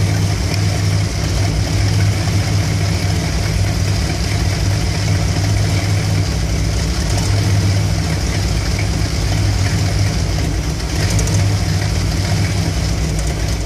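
Low V8 idle with a lumpy, uneven beat that dips and wavers throughout; rough warm idle, no clear cause heard.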